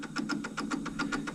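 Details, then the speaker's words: 1991 Kenwood KX-W6020 double cassette deck, deck A playback: rhythmic mechanical chattering tick about seven per second in one play direction, absent in the other; belts look fine, cause not pinned down; abnormal tape transport noise. "Doesn't sound healthy, right? And if we go this direction, we do not have that problem."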